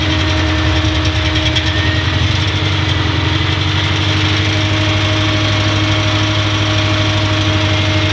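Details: 1990 Nissan 240SX idling unusually high and bogging: an uneven, lumpy idle with an irregular stumble two or three times a second, a misfire traced to faulty injector wires and plugs.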